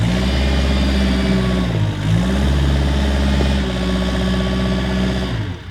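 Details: Kubota 520 hydrostatic wheel loader, tested after a wiring-harness repair for being stuck in low range. The diesel pulls steady and even in reverse with the backup alarm beeping; the drive sounds healthy under load.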